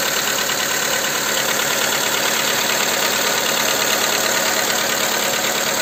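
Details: Skoda Fabia 2 with a 1.4 engine at idle after the camshaft cover with camshafts was replaced: a sharp, regular tapping around three per second over a hissy, thin background; the knock persists and its source is still unknown.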